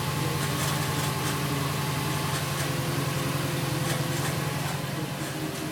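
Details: 2008 Subaru WRX at cold idle in the morning: uneven rattling chatter over a low drone, heard only when cold, stops when the clutch is pressed, gets pretty loud when the clutch is feathered; cause unknown.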